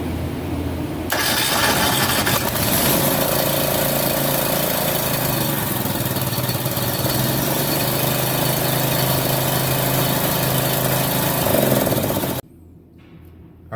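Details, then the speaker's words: Snowplow truck sander engine after its battery terminals were removed, sanded, cleaned and refitted, and it was cranked a few times with the plug wire off to pump fuel: catches almost immediately and runs steadily about ten seconds; starting fine. "now that's what i'm talking about right there just a quick easy fix all i did was take the battery terminals off sanded them down clean them up put them back on and that thing lit right off"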